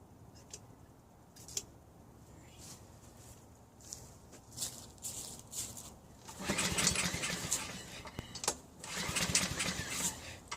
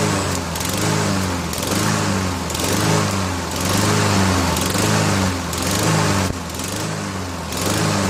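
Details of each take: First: Honda HRN216 mower after drive belt replacement, on 3-month-old fuel plus a little 2-stroke mix: scattered pull-start bursts and brief sputters, never settling into a steady run; reluctant to fire. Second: Honda HRN216 mower after drive belt replacement, started on 3-month-old fuel with 2-stroke mix added: runs continuously with gentle rise and fall about once a second, no knocking or grinding; healthy.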